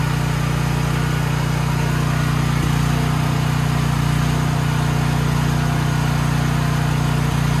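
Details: Troy-Bilt XP 7000 W generator, Briggs & Stratton 21 hp 420 cc, running after start with main breaker on: steady even drone, smooth low beat, no misses, surging or knocks; engine fine, though no power output was later traced to a faulty AVR.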